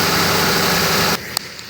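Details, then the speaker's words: Ford Crown Victoria Police Interceptor V8 idling smoothly and evenly under heavy rain, with no knocks or ticks: a normal engine sound. "all right and there you guys have it that's what a normal engine sounds like"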